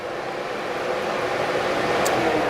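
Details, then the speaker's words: 2000 Pontiac Trans Am being diagnosed for overheating; the cooling fan relay is bypassed to power the fans directly. Steady even rushing whoosh with a faint hum, so the fans are healthy; the fault is a PCM-side connector that needs replacing. Normal cooling fan operation. "all right we should get some fans working now make sure we're in the camera here there we go"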